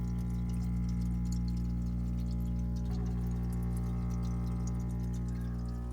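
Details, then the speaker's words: Danby mini fridge not cooling, after replacing the PTC/OLP start relay (1.03.01.01.324J): steady low compressor hum with no clicking off or rattles; compressor starts and runs normally. "so now we're going to plug the machine back in and then we can hear the hum"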